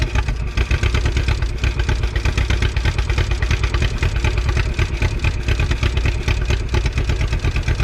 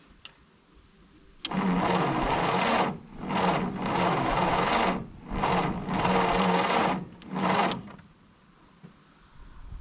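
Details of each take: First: 1951 Willys CJ3A Jeep four-cylinder with the fuel line gravity-primed: low, steady chugging idle with an even pulse and no knocks or misses, running fine. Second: 1951 Willys CJ3A Jeep, 6-volt four-cylinder, off road since 1969, new points, spark present: sluggish, labored cranking in short bursts with one faint pop, never catches; weak 6-volt battery probably needs recharging.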